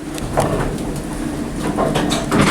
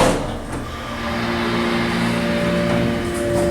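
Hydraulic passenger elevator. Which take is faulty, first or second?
first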